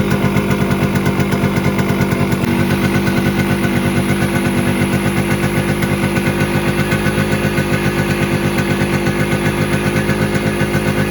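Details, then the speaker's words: Kawasaki KB100 two-stroke before carburetor tuning: single-cylinder popping at a fast, slightly uneven idle that won't settle, since the slow running isn't set yet; to be adjusted warm via the carburetor screws and needle clip position. "Mileage കിട്ടുന്നുണ്ട് പക്ഷേ അതിന്റെ slow working കാര്യങ്ങൾ ഒന്നും ready ആയിട്ടില്ല"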